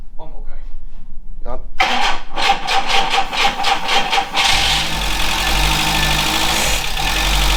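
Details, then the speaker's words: VW Scirocco Mk2 Tropic after sitting in storage, vapor separator bypassed, fresh fuel, spark confirmed; slow cranking, catches on starting spray and runs rough but even; fuel pump, carb or choke suspected. "doesn't sound too bad either um so yeah that is probably something to do with either fuel pump um or the carb or the choke"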